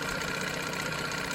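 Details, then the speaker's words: 1987 Johnson 9.9 two-stroke outboard after water pump impeller replacement, one pull, no choke, after sitting 24 hours: quick even idle burble, no misses or knocks; previously choppy idle, now smooth. "That's pretty good. I'm not I'm not unhappy with that at all. No choke, one pull after sitting 24 hours"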